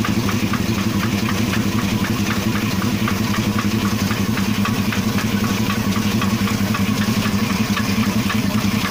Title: Стук двигателя